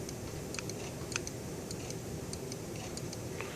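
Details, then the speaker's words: Early-style Mercedes 300SE throttle body (non-ASR, cruise control and idle speed control) on the bench: light metallic ticks as the lever moves, idle micro switch clicking cleanly before the lever touches the edge; normal. "you can hear it click i don't know if camera picks it up but you hear a metallic click"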